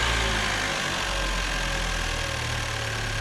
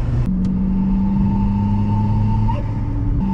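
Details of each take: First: Chevrolet Cruze turbo engine with a Go Fast Bits diverter valve just installed, revved in neutral reaching only 5–7 psi boost: smooth, even mid-pitched hum with light hiss, no knocking or rattles; normal running. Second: Chevy Cruze with a big turbo swap, testing a GFB diverter valve: a deep engine rumble with a steady whistling tone that rises as the turbo spools. This is the loud flute noise typical of large turbos on the Cruze.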